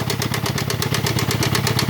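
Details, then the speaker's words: 1.6 16-valve small pickup idling after spark plug change: rapid, even pulsing chuff and hissy puffing each firing, pressure out oil filler cap, blue smoke; cylinder 1 compression 0, cylinder 4 leaks down from 190; suspected broken piston rings, blow-by. "por el tapón del motor. Esto indica que podría estar roto los anillos, aunque hay otro tipo de problemas que también puede haber."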